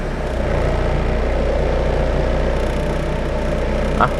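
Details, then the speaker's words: Mitsubishi 4G92 automatic, after repair of hesitation, no idle and misfire (coil, plug leads, airflow sensor): low steady idle hum around 900 rpm with even pulse under AC load, no hunting or stalling; idle normal. "ได้ประมาณนี้แล้วครับจะให้นิ่งกว่านี้ก็รู้แล้วครับต้องซื้อรถป้ายแดงแล้วอ่ะ"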